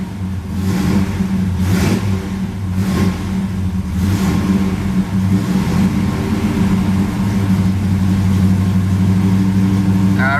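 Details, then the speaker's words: Cold start of a 1973 Camaro Z28 V8 that sits in the garage and is started about once a month, choke removed, held on the throttle: lumpy, stumbling, uneven running, not yet firing on all cylinders. "okay it's been sitting yeah there she goes it's running a little rough not quite firing all cylinders"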